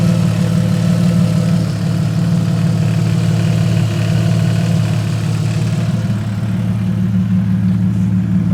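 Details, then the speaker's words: Engine starting and idling after a long struggle, with no exhaust fitted; loud, deep, even idle with open-exhaust bark, steady pulse, no knocks or misses. Still needs flywheel machined, new clutch packs and clutch bleed. Normal idle. "So, after a log struggle, we got her starting. Sounds all right as well."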